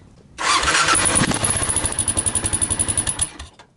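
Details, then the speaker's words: Stock exhaust on a Kawasaki KLR 650: starts and settles to a quick thumping idle of about four beats a second, each with a sharp high chirp. Still chirping after the first holes were punched in the muffler. Exhaust muffler chirp. "Still very chirpy."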